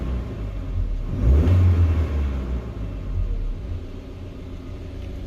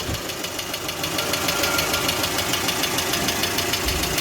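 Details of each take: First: 2020 GAZelle Business, UMZ-4216 EvoTech 2.7, 823 km, heard up close warm at about 90–95 °C after replacing one knocking hydraulic lifter: even, steady, quieter idle with no top-end ticking; problem solved. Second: 2020 GAZelle Business with UMZ-4216 Evotech 2.7 aluminium-block engine, only 823 km: one hydraulic lifter taps crisply and evenly about three times a second, at idle and at higher revs.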